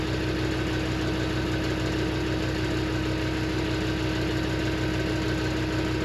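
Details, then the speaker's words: 2004 Land Rover Discovery 2 2.5 TD5 diesel, automatic, idling just after fitting a new rear exhaust section and middle gasket; steady deep rumble, slightly grunty lower exhaust tone, no knocks or blowing; healthy idle. "yeah you can here it just saying a bit more bit lower tone it does yeah yeah"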